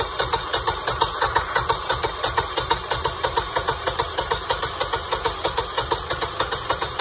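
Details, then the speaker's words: New Generac standby generator on newly filled propane, first manual test start after bleeding gas lines: quick even pulses about three per second as it cranks and catches, then steady running; normal healthy start. "all right so it's gonna give the starter a break but it sounds like it's [Music] [Music] beautiful well that didn't take long at all that's exciting"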